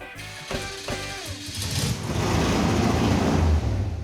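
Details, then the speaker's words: Mid-engine Mazda minitruck drivetrain still on an E85 tune while running gasoline, too much fuel: catches with a few uneven thumps, stumbles, then a rough, lumpy run; overly rich mixture, later fixed by cutting about 50% from the base fuel map. "This thing was on an E85 tune-up, and E85 requires a lot more fuel than gas, so... We took like 50% of the fuel out of the base fuel map."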